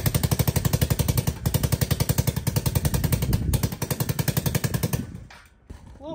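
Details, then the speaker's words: ATK 125 go-kart single with a homemade welded muffler: sharp, rapid exhaust popping at about 200 beats a minute stays very loud. A possible exhaust leak is suspected. "quieter that sounds the same it might be that exhaust leak that we're hearing so loud"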